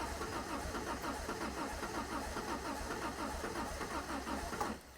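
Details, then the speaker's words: 1975 MG Midget 1500 with a starting problem: starter cranks steadily, and the engine catches, coughs and splutters unevenly, then stops and won't start during choke and jet adjustments. "and now it's doing the same as it did before it just coughs and splutters and wouldn't start"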